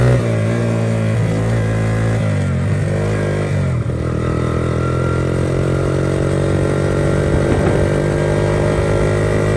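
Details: 1982 Honda XR80 fitted with an XR100 engine, restored after a leaking tank and a tank sealer that nearly ruined the engine. The air boot is refitted with one clamp missing. It starts right up and runs steady and clean, with pitch rising and settling smoothly with throttle. Normal running.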